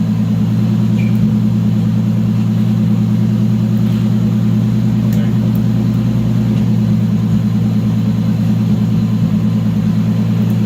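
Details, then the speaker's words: Freshly built high-compression engine in a Chaser budget build, running on a dyno rollers on an old tune not meant for this turbo: a steady, deep, even drone with a firm low-end pulse and no knocks or rattles. It sounds crisp and healthy under load. "so the engine sounds really really crispy that high compression like"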